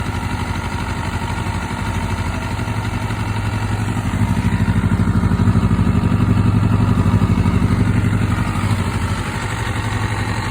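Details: MC22 four-cylinder motorcycle at idle: steady, fairly regular light clatter about four times a second under the exhaust; abnormal engine noise, source unclear.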